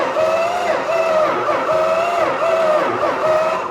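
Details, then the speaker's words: Richard Petty Superbird being cranked with the starter, whirring with even dips in pitch about every half second as each cylinder comes up; cranks over with compression. "sweet sounds like it has compression yeah so it actually cranks over so I don't believe it"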